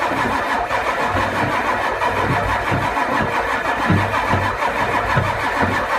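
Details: Ford 7.3 IDI diesel: steady rhythmic cranking with a churning starter pulse that never catches or fires; cranks but won't start, cause unknown.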